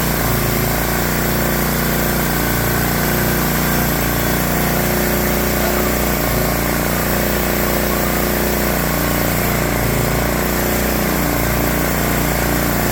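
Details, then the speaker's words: Swisher 7 hp Briggs & Stratton log splitter engine after carburetor cleaning for surging and rough idle: steady, even idle with a smooth low drone, no hunting or surging; runs normally now. "Ta-da! Good. Nice, easy fix."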